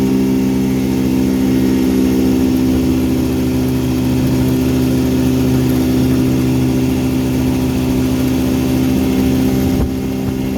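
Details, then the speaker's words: 1959 Elgin 7.5hp two-stroke outboard on 24:1 full-synthetic mix, on the pond after crankshaft repair and restoring spark: smooth, even buzz at a steady pitch with no misses or knocks; running healthy and just about planes off. "uh just about planes off after the couple runs of full length of the pond pretty good once it's on the water"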